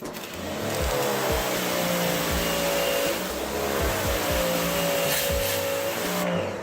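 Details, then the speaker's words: Sun Joe SPX3000 electric pressure washer (14.5 A, 2030 PSI) spraying: a steady, loud motor drone with an even mid-pitched whine; it is working normally. "See, as soon as my hand lets go, the pressure washer shuts off. Saves on your pump."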